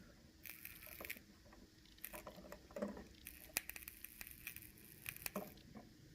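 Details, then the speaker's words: 120 V wall switch wiggled by hand: faint, irregular crackles and snaps each time it moves, pointing to failing internal contacts; replacing the switch is recommended. "a lot of times what happens is you'll hear crackling or the lights will go out if that's the case I do recommend replacing the switch or the outlet you can see this is the issue every time I move this you do hear that crackling"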